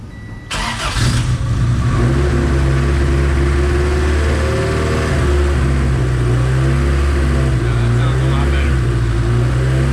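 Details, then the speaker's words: High-compression Honda D16Z6 after a valve lash adjustment, warming up at idle: the engine settles into a steady, even idle with light blips and no ticking or tapping, much smoother and quieter than before. "that sounds much smoother sounds pretty good"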